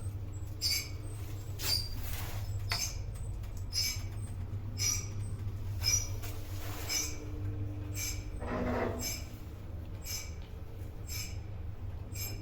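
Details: 1970s traction lift, possibly Falconi, in Chioggia, Italy (7 stops, 325 kg/4 persons, 0.7 m/s), recorded in the car while travelling: sharp high squeals about once a second over a steady low drone. Screeching, source unknown.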